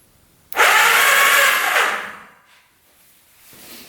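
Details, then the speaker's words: 1991 Kawasaki Vulcan 1200, long-neglected, starter run by crossing the solenoid terminals: a strained whirring lasting about a second and a half that quickly winds down. Slow cranking; the owner suspects the solenoid isn't getting enough power. "It's very slow. We can hear that go. So the starter is working, it's just the solenoid not working."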